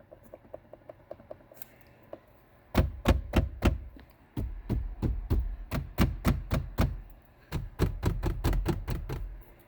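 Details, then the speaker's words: Uneven hollow rattle in short bursts, no engine noise, from the glove box of a 2019 Chevy Silverado LD (Legacy); one known source is the glove box handle, and another noise from behind it is unidentified. A common interior rattle. "And maybe it can't pick it up on camera, but anyways, makes a little rattle from there."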